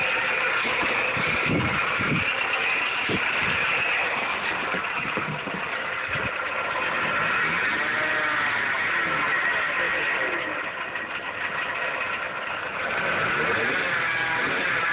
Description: 2007 / 2008 / 2009 Dodge Caliber SXT / SE Alternator pulley Loud noise 2.0l / 2.4l engines.